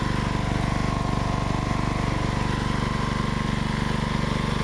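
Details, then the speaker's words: Lawn mower engine that must be kept almost fully choked, running with a steady single-cylinder thump of about three beats a second and a slightly lumpy, uneven note; it runs rough, and the owner suspects the solenoid. "even if I could get that thing out, it's still going to run like a piece of crap anyway, so."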